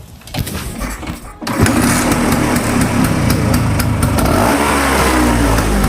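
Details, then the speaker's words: Vespa two-stroke, test before carburetor service: starts then runs with ragged, uneven putter and stumbles; weak, slow, stuttering performance; carburetor to be dismantled and serviced. "Performanya agak lemah. Apakah suaranya dianggap kasar? Ini lambat."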